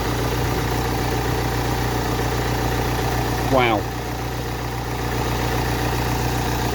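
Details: Ford Transit Connect diesel after a cam belt replacement: a smooth, even idle with a steady low drone and none of the earlier nasty ticking; the engine sounds healthy.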